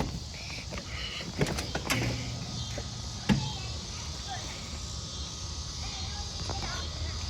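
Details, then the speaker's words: Craftsman TurnTight 42-in lithium-ion electric riding mower, powered on: very quiet low hum with a couple of light clunks, no engine; normal electric drive running. "And also, this is super quiet too."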